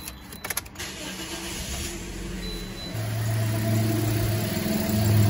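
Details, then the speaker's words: 2010 Toyota Corolla shaking with a flashing check engine light, unable to exceed 40 mph, cylinder 3 misfiring: the engine starts into a lumpy, uneven idle with a stumbling exhaust beat. "see the engine shaking see that shaking misfiring whoa there it is"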